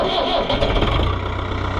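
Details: Oliver 1365 diesel tractor after replacing its original fuel pump: shut off and restarted with a brief crank, then catches and settles into a steady, even chug; clean restart and normal idle.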